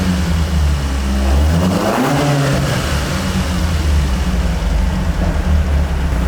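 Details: Carbureted AE86 build on a temporary throttle setup: steady running with a clean rev rise and fall of about two seconds and no stumble. It is now healthy, and the owner concludes the Weber carbs caused the earlier problems. It is still slightly smoky, with a coolant leak.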